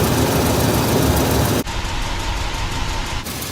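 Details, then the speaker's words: 2007 Toyota Sequoia before repair: a quick, even tick of about three to four per second over steady idle, from air escaping past three loose spark plugs fitted with wrong plugs and washers, driven about 13,000 miles over two years. "basically that was air passing the spark plugs"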